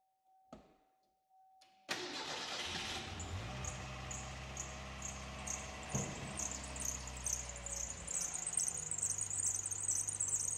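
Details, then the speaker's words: Car restarted right after its first oil change in about 20 years and a plug for a leaking pressure switch sensor, cold start: shrill high chirping squeal pulsing over the idle; owner says the squeak goes away in a minute, cause unconfirmed. "It's really loud. It's not, I think it's not, the squeak goes away in a minute, I swear."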